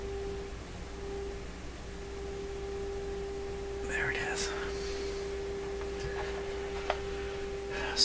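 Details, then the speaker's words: Stewart Warner R146 tube radio during IF alignment check, tuned near 850 on the dial, strong injected signal, volume full: steady test tone near 400 Hz comes through faint and thin; weak gain somewhere, possibly more defects. "i am pile driving this thing with an a signal stronger than you would ever get off an antenna the volume is turned up absolutely full you can barely hear it coming out of the speaker"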